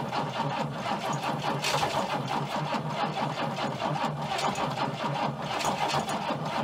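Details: Abandoned Chrysler Valiant VG, not run since 1997; first start attempt after fitting distributor (slant-six dizzy), battery, coil and leads, auxiliary fuel tank. Fast uneven starter chatter with ragged attempts to catch, never settles into a run; timing/fuel suspected.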